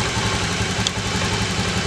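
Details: Honda Beat FI (fuel-injected) scooter, year unknown, that was hard to start with a heavy starter due to weak fuel spray; after the fix the single-cylinder putters at an even idle with no stumbles or hunting and sounds healthy.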